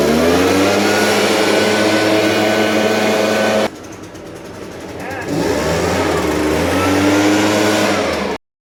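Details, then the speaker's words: New Echo PB580T professional leaf blower on its first start: cold-started on choke, then switched to run. There is a brief dip as it restarts, then a steady high two-stroke buzz running smoothly while warming up. Normal running. "That's the first time it started that motor. That's pretty good. You want to let it warm up a little bit."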